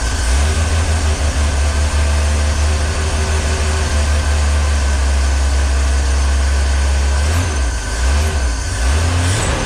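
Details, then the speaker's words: 1965 Ford Econoline van stored since 2011, fed by hand into the carburettor float bowl, base gasket seeping: steady deep low rumble, then stumbles and sags as the float bowl runs dry. "what does that sound oh did it just run dry [Music] yeah okay so that was just the float Bowl"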